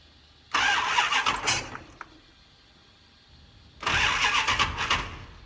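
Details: Dodge Challenger first start after fuel system refill and computer base programming, throttle blades not yet adjusted: two labored cranking bursts that never catch; hard start, cause not confirmed.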